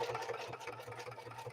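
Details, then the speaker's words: Singer 4411 sewing a zigzag line through thick cowhide: quick, uneven thumping at about seven stitches a second with a strained motor hum, as the machine and needle labour to get through the leather. "Listen to that machine work. You can hear the density of that cowhide. Listen to that machine work. It's really working to try to get through that."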